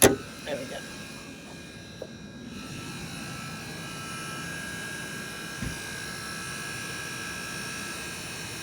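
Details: MG4 electric car with AC on, a steady high-pitched buzz with thin whining tones, seemingly from the left-hand side under the hood; owner unsure if normal.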